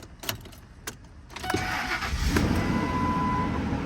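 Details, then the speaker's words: 10th-generation Ford F150 project truck, 253,000 miles; brief starter crank, then it catches quickly and settles into a steady, even run with no misfire or knock. Normal start. "starts right up check out with the dash oh the odometer is working holy that's the first time I've seen it"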